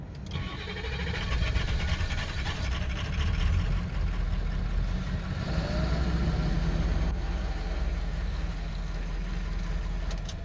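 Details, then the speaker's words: 2004 Ford F-350 6.0 Powerstroke turbo diesel before repair, with stalling, power loss, random codes, later fixed by replacing melted body harness above turbo: long laboring crank finally catching into rough, uneven low rumble; hard start, runs rough. "i'll pull off and sometimes it doesn't barely even start it takes me a while for it to crank"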